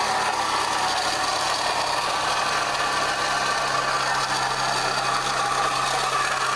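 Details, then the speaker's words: Toyota Echo engine idling after an intake replacement, with the radiator removed and no coolant: a dry metallic rattle rides over the steady idle, constant at fixed revs; worn water pump bearing, the water pump is finished. "Well, that's nasty. Okay, sounds good. Buddy, water pumps had it."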